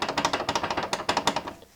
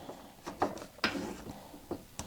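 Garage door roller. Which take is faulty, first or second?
first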